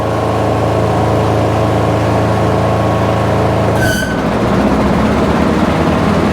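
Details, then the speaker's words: Husqvarna lawn tractor with electric PTO, running fine at full 3300 rpm no-load: a steady hum, then a clunk as the blades engage and the beat drops and roughens. It bogs from low compression due to a floating pushrod. "but as soon as you engage that pto um it just does not get up"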